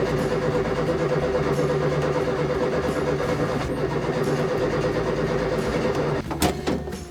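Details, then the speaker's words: 1970 Morris Minor Traveller, fuel pump good and good spark in all four cylinders: steady starter cranking about three beats a second never fires; no start. "but I'm not convinced that's that was the problem because it wasn't even it didn't even sound like it was trying to start"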